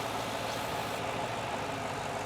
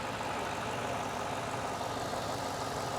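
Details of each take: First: Ford Super Duty diesel idling in neutral: steady rushing hiss over the engine as the vacuum line is pulled off while running, a huge vacuum leak; parts suspected fake rather than OEM. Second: Ford Mustang Bullitt (year unknown) being diagnosed for a lit MIL: steady, even petrol idle in neutral with fuel rail pressure near 39–40 psi, right after a pulled vacuum line that caused a huge leak was refitted; no hiss or stumble.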